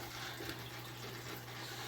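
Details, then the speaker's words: Newly installed aquarium filter on a fish tank: a constant low hum and odd drone under trickling, splashing water; the owner finds the noise unusual, cause unknown. "the new filter is making a weird noise i hear that it's kind of annoying i don't know why he's doing that"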